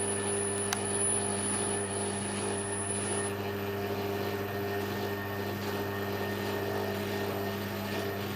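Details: Bendix compact 7159 washing machine, used machine being tested, spin selected: smooth, even hum with steady low drone, no knocks or rubbing; spin runs normally, though the drain pump stays permanently on.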